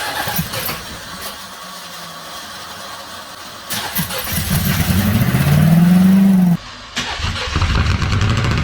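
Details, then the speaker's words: 1983 Oldsmobile 98 with the 350 diesel, fire-damaged, after many crank attempts: it catches with an uneven, lumpy idle, stalls and restarts, emitting antifreeze smoke. Owner suspects exhaust is being pushed up through the intake. "That's the idol of it. Oh, that is all wrong."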